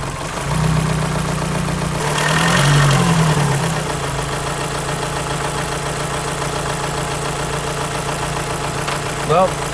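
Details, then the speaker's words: Volkswagen Lupo GTi noisy cylinder head: light, quick top-end ticking at idle carrying through a brief rev, appearing from about 1200 rpm and smoothing out below 2000 rpm; noisy hydraulic lifter. "it starts from about 1200 rpm 1200 odd rpm you the engine's smooth then you get a slight and then it smooths out again so it's smooth and then smooths out again and all of this is below 2000 rpm"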